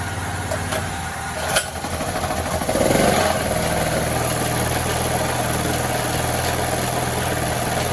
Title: What causes a rattling noise in a generator?